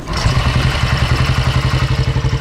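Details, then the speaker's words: 1960 BSA Gold Star single, magneto ignition, cold start after tickling the carb, no throttle, spark advance untouched: steady even low thump about ten beats a second settling into regular idle, no knocks or rattles; healthy. "It'll fire on its own and idle. No throttle."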